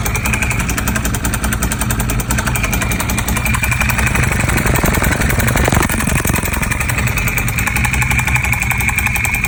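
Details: 1098 at steady idle: busy metallic clatter riding over the twin's beat, something mechanical rattling; bad engine noise, cause not identified.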